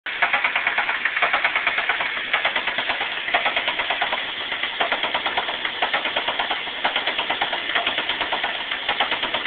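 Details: 1999 Saturn SC2 dual-head petrol engine idling with a sharp light ticking about twice a second that appeared after cheap fuel and worsened; oil change, flush, new plugs (oil in two) and plug wires didn't cure it.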